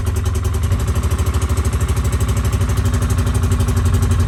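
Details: 2010 Polaris Ranger 800 XP EFI twin with code 652 5, PTO-side fuel injector open or shorted, reproduced on start: uneven beat around three pulses a second; harness fault typical, epoxied to injector, needs new injector.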